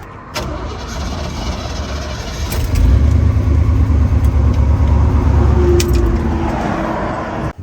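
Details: Jeep J20 truck with a leak, possibly vapor locked after running; fuel pump or fuel line suspected, unconfirmed. The starter churns steadily for several seconds with an even cranking beat, but the engine never catches. Crank, no start.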